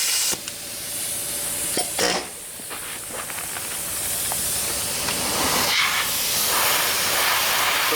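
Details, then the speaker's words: Shop compressed-air hose powering a tube-rolling tool while fitting a new 1-inch DOM tube into an old lap seam boiler: a constant sharp hiss over a few clanks. Air is leaking from the hose, which needs shortening about two feet to fix. "I do have an air leak as you can hear and no I'm not going to fix it before I work I'll turn my air on and off when I need it"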